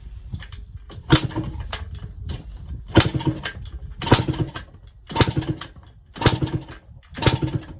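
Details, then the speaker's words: Yamaha Blaster two-stroke, first start after a top-end rebuild with a cheap eBay kit, choke on full, cold weather: harsh, loud bangs about once a second as it barely catches. It is running with no exhaust pipe fitted. "The exhaust was not on. That is my fault, 100%. Sort of blew up my eardrums and nearly wanted my neighbors wanted to kill me."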